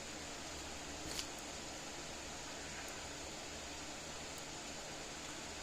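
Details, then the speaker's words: Patriot Solar Guard SG155 12 V solar fence charger on a 12.9 V bench power supply: soft, sharp ticks about every one and a half seconds over a quiet hiss; pulsing normally with good output voltage. "you can hear it clicking at least i can not a very loud units pretty soft click"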